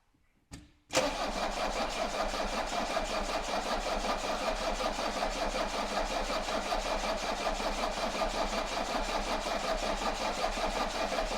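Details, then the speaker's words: Mercedes 240D diesel that clanked and smoked heavily, one cylinder suspected low compression: cranked without glow plugs, injector lines loosened to bleed fuel; evenly spaced compression pulses about two to three a second, healthy compression. "yeah I think it had a really good sound very evenly spaced"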